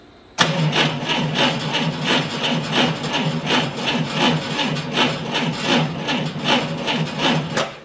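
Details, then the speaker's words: 1990 Ford Thunderbird Super Coupe after years of storage, new battery, amp clamp on battery positive showing about 207–225 A cranking: starter drags the engine over slowly in labored pulses without firing; slow cranking, starter and engine not blamed. "the engine's cranking you can hear it's cranking slow uh I'm not going to blame the start or the engine at this point"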